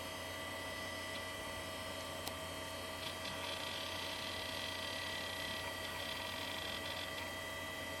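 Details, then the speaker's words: Original Xbox with original Seagate hard drive at startup: faint irregular ticks and clicks over electrical hum and fan hiss, heads not parking, clicking away. "You should hear it start up. Actually, let's ooh, hear those heads not parking."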